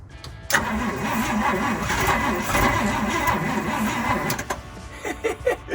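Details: Fire truck cranked from the cab with the choke in use. The starter churns unevenly, about a revolution and a half per second, for four seconds without catching. The owner suspects the timing may be one tooth out; this is unconfirmed.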